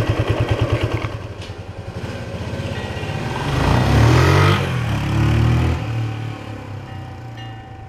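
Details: Restored 1976 Honda XL175 single, first ride after restoration with the clutch adjuster just set: even thumping idle, then a clean, strong rise in revs under load with no flaring or slipping; clutch grips, normal acceleration.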